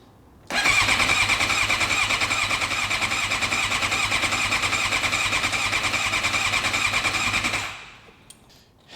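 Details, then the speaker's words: Suzuki GSX-R750 cranking after the injector fuel feed connector was refitted: steady starter whirr with even compression pulses for seven seconds, never firing; owner suspects no spark. "Yeah, like it's turning, but it sounds like the engine doesn't sound like it's starting to fire, and that's our problem right there."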